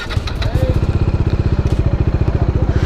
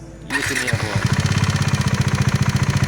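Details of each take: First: Bajaj Dominar 400 BS6 single-cylinder at idle after a service-centre repair of a sudden sound change on a Gujarat road trip; the sound is back to how it was before, an even, regular thump about ten beats a second, no tapping or rattle; normal idle. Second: Bajaj Dominar 400 BS6, engine sound suddenly changed on a Gujarat road trip; steady chugging with hard, uneven pulsing beat, abnormal engine noise, cause unclear.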